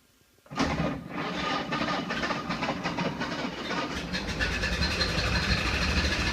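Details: 1931 Ford Model A, stored unrun over 10 years, started on battery charger after fitting a 6-volt coil and adjusting timing: old four-cylinder catches and keeps a loose, clattery but steady beat; normal running.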